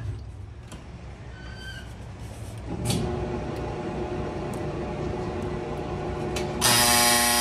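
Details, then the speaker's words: Frigidaire FEX831FS4 stack washer after removing a sock from the drain pump and replacing the dryer rear bearing: even running rumble, no squeak or rattle, draining, then a loud steady buzzer; normal. "just a buzzer no jingle jangle all right no more squeak and now we're draining"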